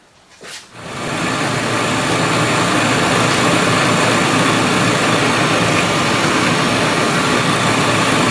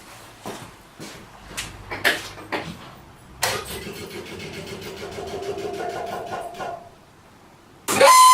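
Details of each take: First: 1968 MGC heater blower motor after lubricating its brass bushings: it spins up within a second to a steady, even rush of air with no squeal or chirp; the squeal used to appear mainly when cold. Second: 1968 MGC heater blower motor switched on in winter: a steady, rough squeal for a few seconds that then dies away, from dry brass motor bushings; fixed by lubricating them without disassembly.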